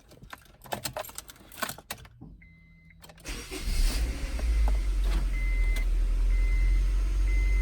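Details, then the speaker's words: Honda CR-V cold start after new spark plugs, new plug wires, new valve cover gasket and an oil change: a short crank catches quickly into a steady, even low idle, no longer showing the slight cold misfire it had before. "No more chicken delight. Doesn't even like, because when I would turn it on, it was cold too. It would like kind of like it did have like a little misfire, but now it looks like it doesn't even like misfire at all."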